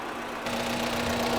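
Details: Isuzu D-Max diesel idling after a road test to get it up to temperature, with uneven, lumpy firing and a steady low drone, shaky rather than smooth; rough idle traced to a failing injector.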